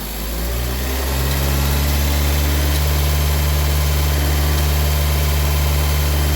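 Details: Honda Civic 1.7 VTEC after VTEC solenoid replacement/rebuild, solenoid being energized and de-energized during leak test: low, even idle lifting slightly then settling steady with no stumble; normal idle, no more oil leak.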